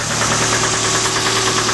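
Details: Suzuki Samurai engine, running about five minutes after oil pump work: fast, regular light knocking over a warm idle, several taps a second in time with the engine; owner fears a rod knock, cause unconfirmed.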